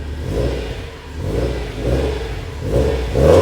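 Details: Built Subaru STI first start, ID injectors, Cobb intake, Perrin intercooler, fresh base map; smooth low burble with gentle rises and falls under light blips, even and clean, no knocks or rattles, healthy engine.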